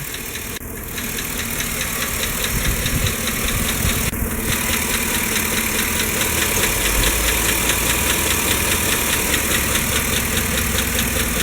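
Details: GM 5.3 V8 Chevy Silverado/GMC Sierra at idle with good oil pressure. Quick, light, regular ticking rides on the steady idle and keeps pace with engine speed. It is suspected lifter tick; a new O-ring reportedly solved it.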